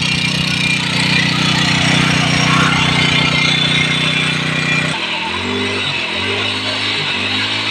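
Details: Engine that was hard to start because it was overfilled with oil (oil leaking from the cylinder head), now running after the excess oil was drained; steady, even note settling into a smooth idle.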